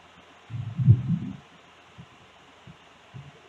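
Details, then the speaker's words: Speaker box after repair and resoldering the speaker: deep bass thumps play clean with no rattle or buzz, and the loud rattling noise from before is gone; normal playback. "já dá para ver que aquele barulhão que tava fazendo não tá mais"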